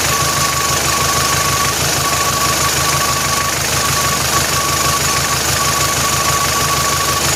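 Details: Engine (vehicle unstated) running steady with a fast, even tick and an on-off high whine; odd noise, cause not identified.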